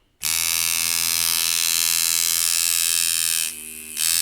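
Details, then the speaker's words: Rotary tattoo machine (Sidewinder V3R vs Poseidon V7 comparison) with its dial set to the softer setting 1, at 5 volts: a steady, even high buzz with a brief dip in level; lighter and softer but still hitting hard, running normally. "So as you can hear, it's a little bit lighter, a little bit softer. Still hitting really hard."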